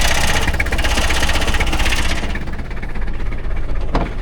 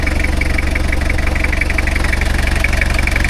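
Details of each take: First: 1990 Toyota Hilux 2.4 diesel starting after an oil service: it clatters unevenly with stumbling beats for a couple of seconds, then steadies once it re-primes; air in the fuel system. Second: 1990 Toyota Hilux 2.4 diesel after servicing oil, gearbox and axles, briefly running rough until the fuel re-primed: settles into a steady, even idle with a smooth regular beat and no misses or knocks; normal diesel idle.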